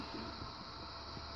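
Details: Marq Gesture Wash 102 moving head light with the cover on, after its sleeve-bearing fans were replaced with dual ball-bearing fans: a steady, even airy whir with a faint hiss and no ticking or grinding; the fans run normally.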